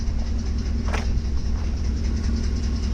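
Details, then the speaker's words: Ford F-150 with 3V Triton V8, engine hot: loud heavy uneven top-end clatter, audible from the cab, only when warm; a timing chain issue is suspected, with the chain loosening as it expands with heat, not confirmed. "I do have to believe this is some kind of timing chain issue."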